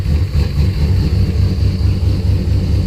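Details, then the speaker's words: Engine failing to start after a fix for no spark from the coil to the distributor: cranking healthily with a low, lumpy rough idle that rises and dips; fuel pressure 50 after prime (over 60 during prime), running really rich and sneezing fuel. "Really rich. Sneezing fuel."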